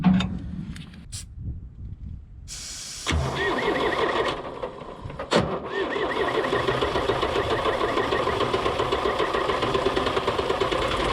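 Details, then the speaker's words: Long 2510 diesel tractor with a weak battery and a failing fuel lift pump, injector lines cracked to bleed fuel: uneven cranking that stumbles, catches and settles into a rough, lumpy run. Air in the injector lines. "crack the injectal lines see if we can start getting fuel [Music] that one's got fuel"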